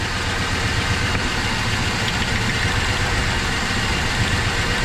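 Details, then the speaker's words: 1973 Dodge Dart V8 with misfire, lifter noise gone after warming: steady, slightly lumpy idle that dips when this plug lead is pulled, so this cylinder fires; neighboring number seven sparks but shows no change, suspected dead with six. "it's definitely affecting it right there that one"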